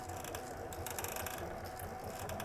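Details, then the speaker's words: Palstar HF-AUTO antenna tuner after cleaning and lithium-graphite grease on the roller inductor: soft continuous whirring with fine ticking as the roller runs along the coil. This is normal mechanical drive noise, not relay clicking. "Seems to be operating fairly smoothly. It is a mechanical device, though, so there there is going to be a certain amount of mechanical noise that you hear with something like this as opposed to something that's relays only, where you hear the relays clicking."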